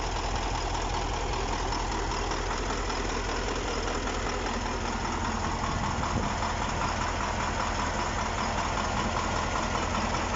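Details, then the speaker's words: KAMAZ 6520 chassis diesel, first start after engine overhaul: steady idle with even beat near two and a half per second, no knocks or misses; normal idle. "Запустили мы двигатель."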